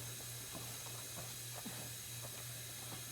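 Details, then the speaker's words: Small block Chevy engine on leak-down test, another cylinder around 13%: a steady, fairly loud air hiss with a low hum as cylinder one leaks more; owner suspects the head gasket may be broken between cylinders one and three. "all right so we got a little bit more leakage on number one I'm thinking maybe there's a potential that the gasket is actually broken in between one and three"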